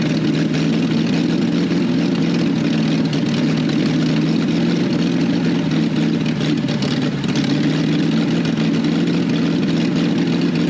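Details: 1968 BMW 1800 barn find four-cylinder running on its own: steady low idle with even drone and slight unevenness, misfiring; carburetor suspected of feeding only one or two runners, then ran out of gas.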